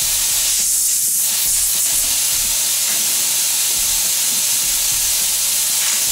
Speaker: you got wild air oil very large amount of air high pressure okay